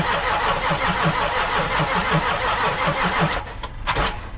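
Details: The starter of a 2014 Land Rover Discovery 4 3.0 diesel turns the engine over with steady, even compression pulses for about three seconds, but it never fires; it cranks without starting.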